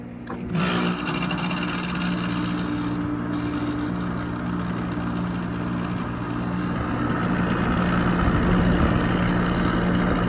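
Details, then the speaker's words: Running AC outdoor unit that stopped cooling, loud harsh mechanical clatter over a steady low hum; gauges show pressure that varies but will not pull down below 188, confirming a prematurely failed compressor rather than the fan. "哇，好像是压缩机的声音，哇，好像是压缩机的声音。"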